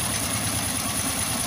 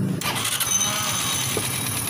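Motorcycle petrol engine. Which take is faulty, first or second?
second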